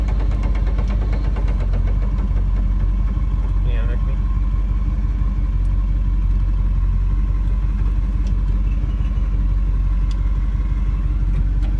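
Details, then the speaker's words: Nissan S13 with 1UZ V8 swap, transmission damaged while drifting (sudden banging), cruising downtown: fast uneven knocking about three per second over engine rumble, suspected damaged transmission gear, not confirmed. "Cruising downtown. Hear the noise? It's terrible."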